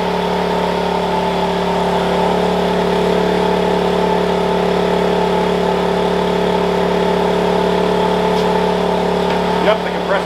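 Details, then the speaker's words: Wen 56203i 2000 W inverter generator (built 7/2020), eco mode off, running a 1-ton 13,500 BTU portable AC (11.9 A, about 930–1200 W) after a brief overload light at compressor start: a steady, even hum with no surging; it handles the load fine. "so you saw that overload light coming come on briefly in the machine struggle but we're running this thing will start a one ton ac 13 500 bp is actually a little bit of other time and i can confirm the compressor is running"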